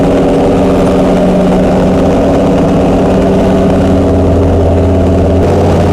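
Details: Chrysler 440 Six Pack with triple two-barrel carbs, after replacing a damaged carb gasket beside the power valve: smooth, steady V8 idle with an even low rumble, no misses, stumbles or knocks.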